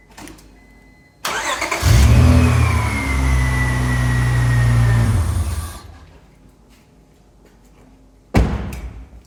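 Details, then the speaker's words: 2001 Honda Accord restarting on its own battery after a few minutes of alternator charging following a jump; brisk crank catches within a second to steady run then shuts off, battery in decent shape and holds charge. "so that was it our battery is in decent shape it's good it holds the charge"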